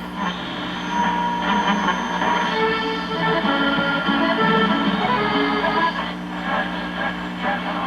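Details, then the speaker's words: 1950 Zenith G503 portable tube radio after replacing a dead tube with one that tests strong, selenium rectifier not yet replaced: clear music at steady volume, no hum, crackle or fading. Normal reception. "let's go ahead and fire it up [Music] oh yeah it's picking up picking up pretty good things pretty normal"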